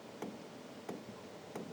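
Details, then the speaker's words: Hcalory TB MAX diesel heater first startup: faint sharp ticks about every two-thirds of a second; dosing pump priming, normal, and the tick stops once the heater is running. "But you won't hear that when this is going at all cuz that stops. It's just basically priming itself."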